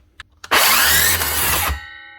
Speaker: Ooh. Definitely not a good sound. She's actually jammed the blade. Right, that's looking like a bearing.